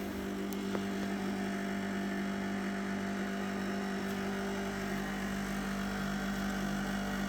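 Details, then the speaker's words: ProBreeze dehumidifier, about two months old, running in a cellar: strong, steady low hum with airy fan rush, louder than it should be; the kids can hear it two floors up. "Shouldn't be that noisy. I don't think so. The kids can hear it two floors up."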